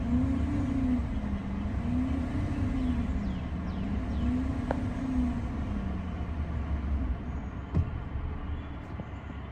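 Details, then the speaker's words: GM 5.3 L83/6.2 L86 after DOD/AFM delete with new mild stage one cam and lifters, first startup: deep steady V8 idle, slightly choppy, no lifter chirp or ticking; owner thinks it needs a tune. "okay guys she does idle by herself it's a little bit choppy I don't think it's because of the cam cuz it's a very mild stage one cam"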